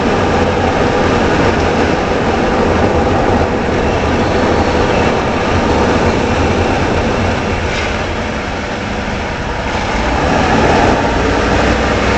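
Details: 2013 Ford F-150 4x4 Lariat: coarse grinding rumble from the front left drive axle that goes away after a short while; owner suspected the IWE, and the passenger IWE was later repaired.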